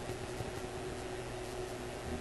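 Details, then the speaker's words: Graetz Polka 1113E antique German radio under oscilloscope testing: a steady hiss and crackle with a sharp pop near the end. Pops, clicks and static coincide with voltage fluctuating at the tested circuit point; the source is not yet traced. "So I'm hearing the pops and clicks and static in the radio, and I'm seeing the voltage at this point fluctuate. And I'm guessing you can hear that static and clicking too."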